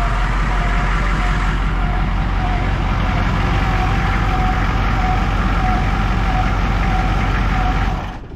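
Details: Humvee diesel just after an oil service, started using glow plugs with weak batteries: even low diesel rumble with a faint steady whine on top, no misses or knocks; fires right up and idles smoothly.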